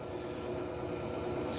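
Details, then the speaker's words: Electrolux LTE06 6 kg washing machine after repair of its loud spin noise: a steady, even rush on spin with no knocking or scraping; the drive now runs normally. "barulho tranquilinho não tá mais fazendo aquele barulho que tava fazendo antes não"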